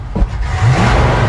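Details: 1972 Chevy C20 utility truck after a FiTech Go Street 400HP EFI install, tuning the accelerator pump: quick blip with revs climbing cleanly and holding, crisp throttle response with only a slight lean bit that may clean up with learning.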